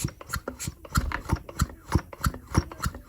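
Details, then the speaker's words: Stihl MS 210/230/250 chainsaw two-stroke engine turned by hand during reassembly: soft regular puffs as the piston pushes and pulls air through the impulse duct to drive the fuel pump, as it should: normal crankcase transfer compression. "escuta esse sopro cada vez que o pistão desce ele impulsiona ar pelo duto de impulso e quando ele sobe ele puxa para acionar a bomba de gasolina"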